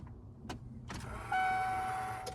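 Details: 1997 Ford F-250 sitting for years, cold weather, new battery, before swapping the fuel sending unit: clicks, then a steady electric hum for about a second that fades; the fuel pump primes normally.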